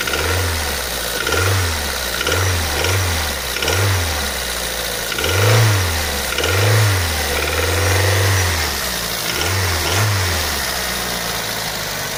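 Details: Daihatsu Pyzar engine idling with uneven low thumps swelling in and out about once a second over the running note; engine knock of unknown origin.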